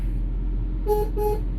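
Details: Classic Jaguar XJS straight-six (3.6 or 4.0) auction car, testing electrics; two short clear horn toots over a low engine idle; horn strong and works properly, though indicators have a bad connection.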